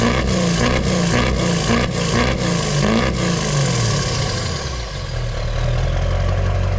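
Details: 2002 2500HD 6.6 LB7 Duramax diesel after fitting a new 4-inch downpipe-back exhaust to fix a front leak and a cracked muffler: deep, even idle with steady low pulses and no ticking, hissing or exhaust rattle.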